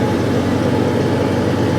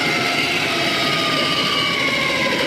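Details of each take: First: Off-road truck ("the Banana") after swapping out a heavy-duty competition transfer case with straight-cut gears that made gravel-like gear noise; steady, even low drone, no knocks or whine from the drivetrain; runs smooth and healthy. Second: Off-road "Banana" truck with a heavy-duty competition transfer case: a loud, piercing multi-tone whine from the straight-cut comp gears, falling in pitch as it slows; too noisy for the truck.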